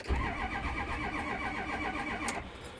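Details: 6.0 diesel cranking steadily with an even rhythmic chug that never catches; crank no-start.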